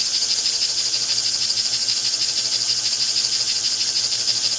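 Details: 1949 American Flyer #322 Hudson steam locomotive motor after repair: steady, high, buzzy whir with an even flutter; higher rpm than before, armature no longer bouncing; running freely and healthy.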